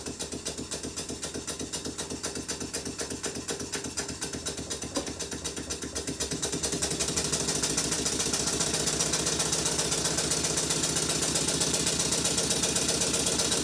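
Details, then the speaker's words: Model steam engine with red flywheel, reassembled and left running: crisp, even chuffs about four per second, speeding slightly then holding steady with no knocks; running sweetly. "with everything reassembled it's time to give the engine a run and it's at this point that I'm going to go and do something else and I'll leave the engine running to the end of the video"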